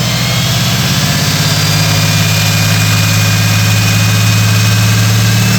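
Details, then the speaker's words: SVT Terminator-swapped Mercury Marauder V8 running through mufflers during ring break-in; deep, loud, steady rumble with lumpy exhaust beat under light throttle, sounds healthy, loud like a stock car. "This thing sounds like a stock car. You guys are right. So much for being a grandpa car with these mufflers."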